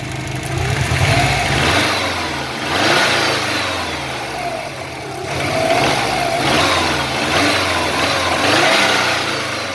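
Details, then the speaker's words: Subaru EJ205 turbo, over 200,000 km, compression 13.5–14, boost 0.7, at about −15°C: warmed-up idle with smooth throttle blips, no knock; knocks when cold, disappears when hot. "Вот прогрелась машина. Сейчас. Смотрите. Все, вроде стук пропал."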